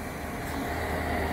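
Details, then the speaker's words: Portable diesel heater after cleaning (soot suspected, clogged atomizer screen likely the cause), glow plug off, drawing 0.5–0.6 A, heard at the exhaust: steady low roar with a faint hum beneath, no sputter or popping; normal. "i don't know a little roar down here out of the exhaust"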